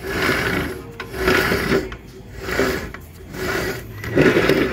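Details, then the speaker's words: Yamaha Fino scooter, rear wheel turned by hand: rough grinding that swells and fades, wheel binding, sometimes stiff sometimes free; cause found as broken bearings supporting the belt pulley arm, inner bearing also broken. "รถมีอาการคือเวลาเราหมุนล้อเนี่ยเนี่ยหมุนล้อมีเสียงดังครับมีเสียงดังแล้วติดขัดนะฮะนี่"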